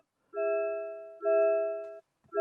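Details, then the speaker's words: MG ZS EV before comfort update: repeating two-tone bong about once a second in a quiet cabin after getting out, warning to take the key and turn off. "it off and the constant bonging now is because it's saying please take a key turn off by pressing pressing disable and so yes it constantly bombs if you get out and leave your key in the car"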